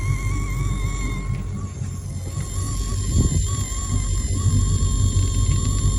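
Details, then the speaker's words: Malibu Wakesetter boat stereo with engine running, before tightening loose amplifier grounds: steady high whine wavering in the speaker, rising when the engine revs; engine noise from a bad ground, gone after fix. "Can hear it in that speaker as well."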